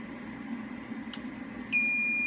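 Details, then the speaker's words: SolaHD S4K2U-C UPS on 120 V with no load connected, on button pressed. A steady high-pitched beep holds as it cycles briefly to bypass and then transfers to inverter mode, a normal startup. "okay so it goes to uh a brief cycle goes to bypass and then transfer to inverter mode"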